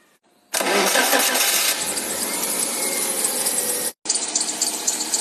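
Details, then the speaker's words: Wuling car engine idling after start with a harsh, hissy whirring over the running note; source found to be the water pump, worn from normal use; noise gone after replacing it. "找到了，是这个水泵异响，等一下我们拆出来看一下。"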